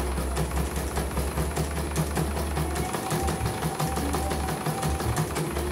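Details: CNY embroidery machine from Mojokerto, arrived totally jammed with heavy rotation after prior service, tested on small frame after repair and calibration; quick even stitching clatter about five beats a second, no catching or heavy thumps: running normally.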